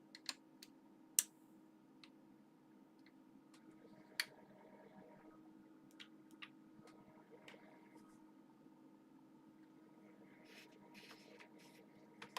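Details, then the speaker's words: Older audio amplifier with speakers connected, steady test tone: irregular pops, crackling and cutting out that come and go as the speaker relay engages; bad speaker relay contacts, a known fault at this age, amplifier itself fine. "the relay contacts are bad and it's causing there to be crackling and cutting out um so yeah this is a known problem on amplifiers of this age"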